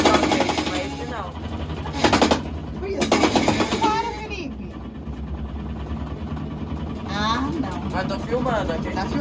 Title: Electrolux Lte12 da minha vizinha fazendo barulho!